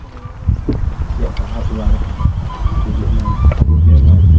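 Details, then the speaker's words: Barn-find Jaguar/Daimler Mk2 hemi-style 2.5 litre V8, previously seized, first start attempts: uneven chugging with irregular pops while cranking, won't catch; firing order out, plug leads possibly marked wrong, being rearranged. "Righto, so it's not something we've played with before. We might have to check the firing order. He said the leads were marked, but we're not positive."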